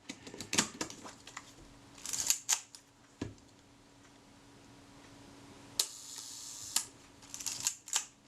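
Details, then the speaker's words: Retina IIIc camera shutter during reassembly, after service for a very sticky shutter: crisp single release clicks with winding between. The adjusting screw is turned down until film-advance unlocking no longer comes slightly before the shutter fires, giving normal release timing. "it's right on the point it's a little bit more and no more it was certainly releasing the film advance slightly before the shutter but not much"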